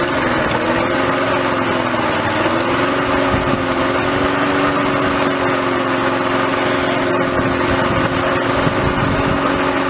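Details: Victa mower just restarted after reassembly with fresh oil and fuel, smoking from the muffler. The small single-cylinder engine holds a steady, even fast idle without missing or hunting; it runs smoothly.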